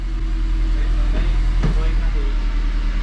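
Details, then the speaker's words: Car after headers fixed and flex pipe deleted, grease burning off exhaust: steady low rumble settling to a lower idle, even and smooth, no drone; normal idle. "oh oh my god look it idled down how did i do it"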